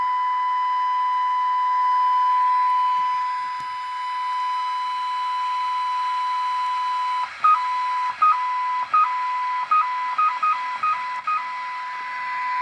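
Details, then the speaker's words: 1979 Ford Mustang factory AM car radio with a failed IF transformer replaced by a substitute, core position tuned: a loud, steady mid-pitched test tone comes through clean and undistorted; IF stage now working properly. "Wow. I think I found a real happy spot here. Major happy spot. Oh, and look at it's not all distorted."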